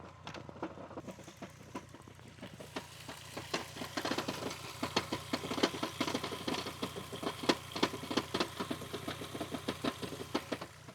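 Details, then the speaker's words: VW Golf Mk4 V5 at 353,000 km, worsened after 50 km of a drive: uneven metallic clatter and ticking over a rough idle from a known-bad flywheel near failure; dual-mass flywheel rattle. "I think now it's sounding so bad and it's basically on the verge of giving out. Let me show you how this car sounds like."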